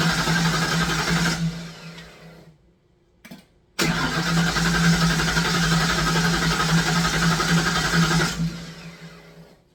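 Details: Fox Body Mustang sat for a long time, cranking with no start: two long spells with a steady starter beat of about four per second that never fire, even with extra fuel in the tank and Berryman sprayed into the throttle. Injector signal and spark are confirmed.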